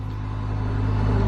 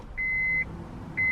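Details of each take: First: Acura RSX (DC5) after starter replacement (intake manifold and throttle body removed for access): catches and settles into a steady, even low hum building slightly; smooth healthy idle, starter was the issue. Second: Acura RSX (DC5) that would not start for about three weeks, after reconnecting a loose clip and trying a jumper, key turned: two warning chimes, then scattered light clicks with no cranking; failed starter motor.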